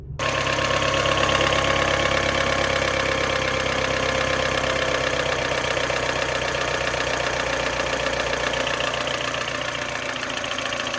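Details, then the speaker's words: R56 Mini Cooper base with original N12 engine, 160k miles, cold start idle: fast loose knocking ticking; owner has piston slap, possibly from stuck rings or damaged cylinder wall; louder cold; compression and oil consumption unchanged. "my scenario I actually have piston slab and that could be caused from stuck rings on the Pistons allowing the Piston to move around since the Rings aren't holding it in very well or that could be from a damaged cylinder wall there's a few things it's definitely louder on cold start"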